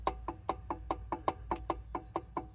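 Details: 1971 Pontiac Formula 10-bolt 8.5-inch posi rear end turned by hand: sharp knock about every fifth of a second; grooves cut inside, flat posi springs, broken clutch parts suspected, not confirmed.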